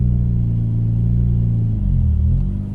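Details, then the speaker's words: Mitsubishi Evo X, high-mileage SST dual-clutch gearbox: engine drone climbs and wavers on light throttle pulling away before the car moves; worn SST clutches slipping on launch. "you'll hear it rev i'll try and look down so you can kind of see the gauge but and now it starts moving so that's not normal shouldn't be doing that"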